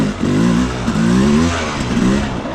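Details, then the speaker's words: Beta 300 two-stroke with Smart Carb SC2, set to 14 and idle screw turned half a turn: revs blip up and fall back cleanly on each throttle stab with no stumble, the earlier bog nearly gone; clean throttle response. "not bad we're a heck of a lot richer like this is getting out of control here"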